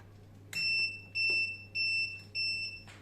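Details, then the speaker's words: Inverter on a 12 V 100 Ah Electronicx gel battery running a boiler and Wi-Fi router, after 5 hours at 11.7 V: four sharp high-pitched beeps about every 0.6 s in a quiet room; inverter low-battery alarm. "він чогось зразу в розрядку хоче йти да щось запікало 11,7"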